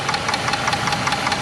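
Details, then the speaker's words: Dodge 4.7L V8 at about 200,600 miles, warm after a 15-mile drive, following lifter replacement and a fulcrum check: fast, even light clicking at idle, traced by stethoscope to the valve cover; cause unconfirmed. "All right, folks. So, it's clicking. You can hear it. And I use the stethoscope. It's It's coming uh from the valve cover"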